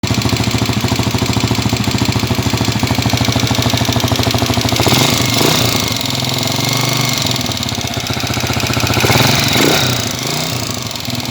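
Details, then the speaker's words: Honda TMX155 single-cylinder motorcycle engine, cold and rested, before overhaul: loud clatter with a steady, fast knock and rattle. "okay guys ah napakaingay na po nito kahit kanina napahinga na po niyan ha malamig na napakaingay"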